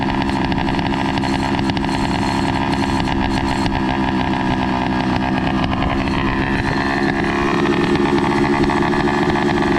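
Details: Loud two-stroke motorized bike with an NT carburetor: the idle hunts and stumbles unevenly. The carb is suspected of not getting enough fuel because the jet is very small, and new jets are planned. Erratic idle.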